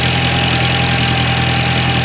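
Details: 2003 Audi A4 Quattro 1.8T on cold start: steady idle with a sharp high whistle and thin mid tone that goes away after about 47 seconds; source unknown; abnormal cold-start noise.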